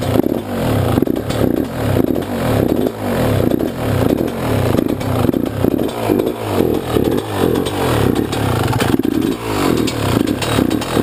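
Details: YZ125 two-stroke, either the 2001 at its first start after a rebuild with a new Wiseco piston or the freshly rebuilt 1999: blips about once a second, crisp rise and fall, no rattle or bogging; healthy.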